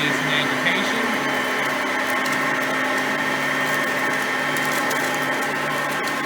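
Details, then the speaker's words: Oreck XL Platinum lightweight bagged upright on high speed, picking up crushed stale chips: steady, even high-pitched motor whine with no surging, rattling or scraping. Normal running, quiet vacuum. "and as you can hear both are pretty quiet vacuums for being that there are both di"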